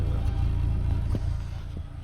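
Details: Renault Twingo exhaust note, low and lumpy, with the odd dropped beat and a stumble as it dies away; water visible at the tailpipe. Engine misfire, and the owner feels it is stalling through the exhaust.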